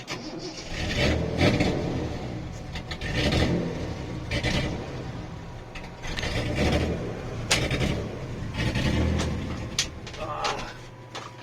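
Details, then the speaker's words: 1973 Datsun 240Z series 2 with carburettors not yet tuned, running rich, dying on the road with air conditioning on; repeated cranking, catching and sagging; stall and hard restart. "carburetors carburetor tuning still not there yet so let's pull over and uh okay the car just died on it it's on so let's start it up"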